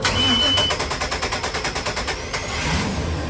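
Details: Sea Ray Sundancer 320 boat engine cranking evenly at about seven pulses a second, then catching cleanly and settling into a steady run after a faulty mini fuse protecting the fuel pump was found and replaced.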